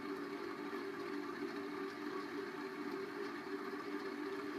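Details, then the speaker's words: 1990 Heritage Spector 36-inch ceiling fan on high speed; a steady mid-pitched hum with a rough whirring edge from worn bearings, which oiling did not quiet: ceiling fan bearing noise. "so you can hear it's a quite noisy fan and I guess it does move a little bit of air it's not much high would be its best speed for doing it and anything you can hear it really is a noisy fan"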